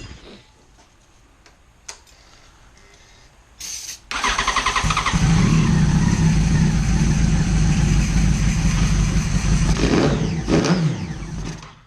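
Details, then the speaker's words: Neglected 2011 Yamaha FZ1 motorcycle, first start after sitting: a brief crank, then the engine catches and barks, and loud free revs rise and fall through a very loud exhaust; it starts and runs fine. "There we go. It's so loud. Okay, that's good. The neighbors are going to be mad. Cool. It runs."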